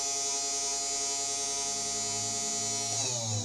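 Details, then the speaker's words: New CNC 3018 Pro engraver, just assembled, low-power spindle first switched on: loud high-pitched whine at steady pitch then sliding down as it spins off; very noisy, owner suspects it's not totally straight or aligned. "everything seems to be working that's very noisy though"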